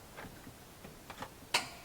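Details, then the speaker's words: Gas hot-water boiler in a Charisma 550 touring caravan, switched on at the wall control's gas setting; a few faint ticks, then one sharp click as the burner lights in a quiet room and the green light comes on; normal ignition. "You hear a click, which is the boiler starting up, and you'll see a green light on the dial."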